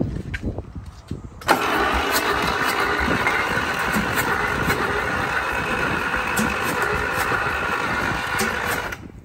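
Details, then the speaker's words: A free diesel engine, oil bath air cleaner removed and ether sprayed into the intake, cranks steadily at about three turns a second for eight seconds with no firing. It has compression and loose valves; the cause is unknown. "that's weird they didn't want to fire on ather either sounds like a your steamer all over there that's really weird I've never seen that before"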